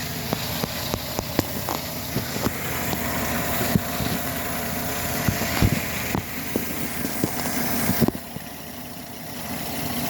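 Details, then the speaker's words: 2013 Chevy Silverado 4.3 with intermittent shaking, misfire and throttle-body codes: just after starting it holds a quiet, smooth, even idle with no shake before the fault recurs. "Okay, engine's on. It's not shaking. Nice and smooth. Everything's good."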